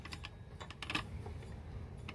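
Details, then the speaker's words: New CUKUSIN 4-stroke 4.0 HP outboard, prop turned by hand: light irregular clicks a few per second with no drive felt and rattling; prop does not turn under power, owner suspects something broken in the lower unit. "You're turning it, but I'm getting It's just clicking. I mean, you turn it backward."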